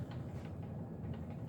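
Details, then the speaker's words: 52-inch Hunter Original ceiling fan, circa 1986, on high speed: low steady whoosh with a faint hollow bamboo-like tick every turn, caused by loose screws on one blade. "by the way the screws are loose on one of the blades so that's why it's making that noise"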